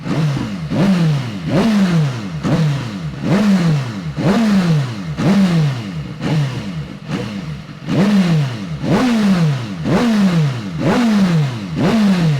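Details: Rebuilt salvage BMW S1000RR superbike, warmed up, with new aftermarket exhaust just slipped on: repeated sharp blips about once a second, rising and falling cleanly with crisp throttle response; healthy engine, loud exhaust.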